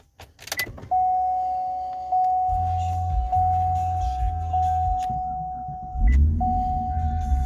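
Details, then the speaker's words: 2011 Cadillac CTS-V coupe, started after a half-hour drive: chime, short crank catching at once, settling into a strong even idle; always fires right up, no leaks or oil burning reported; normal start. "had a problem with the car starting or the battery going dead or anything yet always just fires right up"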